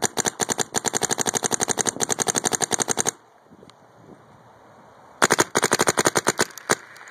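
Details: Paintball marq with regulator near 900 psi and LPR set: crisp sharp pops about ten a second in even string, short pause, another burst; cycles cleanly until out of paint.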